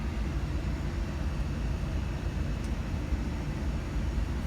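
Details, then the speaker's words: Payne air conditioner indoor air handler running on cool mode: steady, even low whoosh of airflow, no rattles, scrapes or squeals; running good. "so for the indoor unit it's running good it's already on cool mode right now it's running on cool mode"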